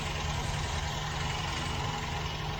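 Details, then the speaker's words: 1967 MGB Mk1 after a carburettor refurbishment and tuning, still idling rough; an uneven, lumpy, loping idle that won't settle. Vacuum leaks were later found. "So you can see the engine's still not idling the way I would like it to."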